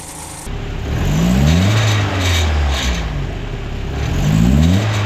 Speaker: el siguiente sonido es proveniente del múltiple de escape a veces a Los mecánicos se les olvida poner tornillos y dejan elementos flojos o alguna lámina que suena al